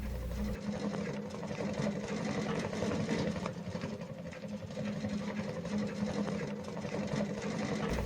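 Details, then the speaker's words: Shinpo Seisakusho FIRE SIDE square three-window wood stove after internal plate replacement and new damper fitted, burning lots of thin branch kindling hard, damper open: quick fluttering pulse about four a second over low roaring hum, strong draft drawing much air. "よく燃えて空気がたくさん吸い込まれていますので、その音を聞いてみてくだ"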